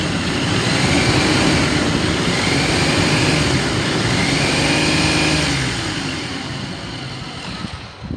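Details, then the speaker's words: 2010 Ford Explorer XLT 4x4, automatic, reportedly taken out of service after overheating; the engine revs with an uneven stumbling note, hangs, then drops back, a steady misfire that won't rev past 3000 rpm, with the check engine light on and a suspected bad alternator. "i will tell you it doesn't rev up higher than 3 000 rpms it's got the check engine light on"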